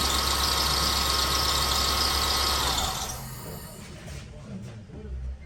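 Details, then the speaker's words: 2005 Honda Fit idling, loud shrill squeal from the slack alternator/accessory (poly-V) belt slipping on the pulley; retensioning the belt is the attempted fix: loose accessory belt squeal. "Então, eh, às vezes é só o atrito da correia. no rolamento, a correia de serviço, tá? É, às vezes só esticar já resolve, tá?"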